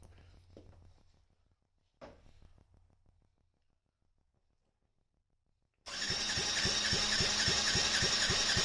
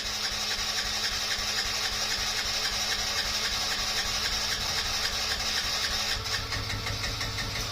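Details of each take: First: Yamaha Raptor 50 quad, compression test after rings found badly worn: even, strong cranking pulses around 220 per minute, reading 135 psi or more versus 90 before, pressed-on gauge; healthy compression. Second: Yamaha Raptor 50 quad, first start, neutral with choke: small single buzzing at a raised steady idle that sticks instead of settling; owner suspects a dirty, gummed carburetor or a lean mixture.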